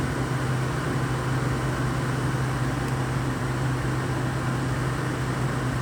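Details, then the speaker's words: Used, deep-cleaned Frigidaire window air conditioner, about 83°F outside in sun, blowing not-cold air: only a steady low fan hum and rushing air, with no compressor kicking in. Owner suspects the compressor isn't running. Compressor not running. "And to me, it doesn't sound like the compressor has kicked on."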